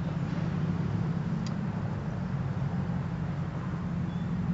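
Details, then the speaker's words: Backpacking stove burner run on white gas (Coleman fuel) without its pump, started with alcohol priming as fuel in line vaporizes: steady even low hissing roar, no sputter or pulsing; burner lit and running properly as it warms. "that's still in this fuel line starts to vaporize starts hearing some hissing or roaring from the burner which is a good sign as you can probably hear now"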